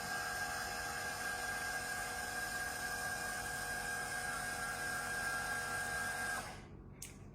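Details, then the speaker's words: Automatic fibre filter head rated 6,000 litres per hour, switching to automatic flushing mode: steady high-pitched valve motor whine runs evenly about six seconds then cuts off cleanly, valve motor driving normally. "the flow rate on this filter head is 6 000 liters per hour once we've gone you can hear the motor running"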